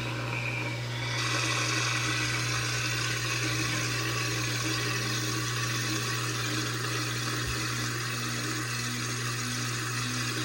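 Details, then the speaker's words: 2012 LG top-load washer, Normal cycle, overloaded mixed load of shirts, socks and jeans, spin after draining: steady motor hum and even swishing churn, no thumping or banging; load reasonably balanced; normal balanced spin. "this is it's kind of balancing out the close of testing see if it's unbalanced in getting a decent model for water out and just kind of testing to see how to spin"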